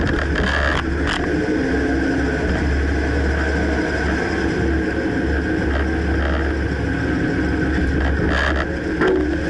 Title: Dodge Ram 2009 Clunking noise can't pinpoint